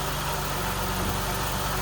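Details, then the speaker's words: 2011–2016 Chrysler Town & Country after ignition coil replacement, which fixed the cylinder 6 misfire (P0300/P0306), with the misfire count no longer climbing toward 70 as before; smooth, even idle with a steady low rumble and no skipped beats, normal idle. "It's running fine right now. No misfires anymore."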